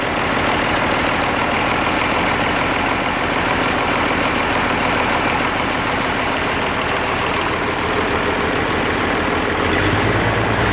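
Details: Oliver 1550 diesel tractor after rebuilding sticky number 6 injector with new nozzle set above 2000 psi: steady, even diesel clatter at idle with no skips or knocks; all cylinders firing cleanly, normal idle.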